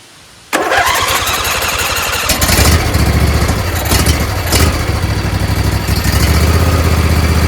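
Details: Husqvarna YTH20F42T lawn tractor repowered with a Briggs 21HP V-twin, after the stuck fuel solenoid was loosened. It fires at once, then holds a firm, steady V-twin beat as it comes off choke and throttles up, running properly.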